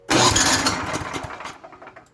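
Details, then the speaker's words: Troy-Bilt/MTD snow blower with Tecumseh engine, after installing a replacement starter, choke on: starter whirs and the engine turns over briefly without firing; suspected cause is the missing safety key, not confirmed. "Oh, you know what? We're missing a key. Give me a second. So this is a safety feature. So if your kid comes out and tries to start it, it doesn't."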